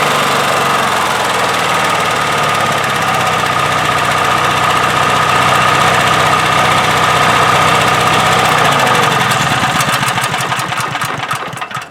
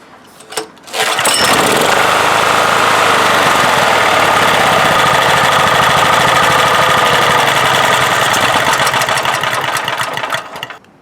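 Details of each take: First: 1997 Honda EB5000 generator with cheap non-OEM carburetor, adjusted by restricting flow: even, steady hum at low idle in auto mode with no surging, which it previously had; running normally, better than with the old carb. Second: 1997 Honda EB5000 generator with a cheap non-OEM replacement carburetor, started on choke, on auto with 1500 W load: runs rough and busy about nine seconds, then fades and cuts out; lean stall from drawing too much air.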